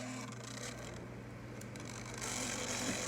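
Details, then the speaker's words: Refrigerator evaporator fan motor drones with a low steady hum and a scratchy rasp pulsing about four times a second, from a dry, noisy shaft bearing; fixed with steel wool (Bombril) and oil or white grease. "esse barulho que fica a galera dentro da geladeira um barulho insuportável tem solução"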